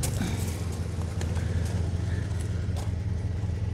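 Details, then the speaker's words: Ford Mondeo Mk3 1.8 petrol Zetec with check engine light, codes P0300, P0301 and P0304: a heavy, uneven, lumpy rumble two or three times a second with little throttle response and some exhaust whistle; misfiring cylinders. "okay well it has started doesn't sound too good does it well we have a check engine light there which is no surprise not a lot of response in the throttle down there"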